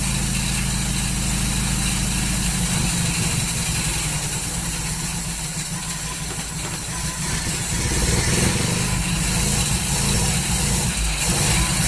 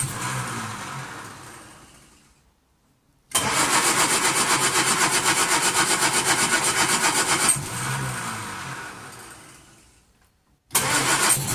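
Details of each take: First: 1939 Hillman four-cylinder with an AC fuel pump problem chugs unevenly at idle, about four lumpy beats a second, running rough and misfiring; owner suspects the ignition timing is out after adjusting it. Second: 1939 Hillman with an AC fuel pump, carburettor hand-primed, started by pulling the starter on full choke after two days of trying: rapid even firing about four beats a second, catches on second pull and runs steadily.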